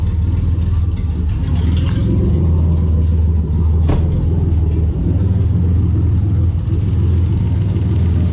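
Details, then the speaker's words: 1991 Ford Scorpio 2.9 V6 Cologne, sat about 15 years, no exhaust fitted, air filter refitted: deep lumpy idle with loud open-pipe drone, slightly uneven beat, seemingly running on all six cylinders; normal idle. "but yeah not bad obviously it's got no exhaust but I think it's running on all six [Music] cylinders"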